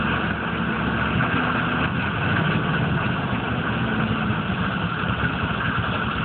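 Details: 1995 GMC K3500 6.5 turbo diesel, 78,000 miles: low idle rumble with a lumpy beat. It misses under full load at driving speed, stalls off throttle and is sometimes hard to start for days. Codes stored; owner suspects the PMD or injection pump, unconfirmed.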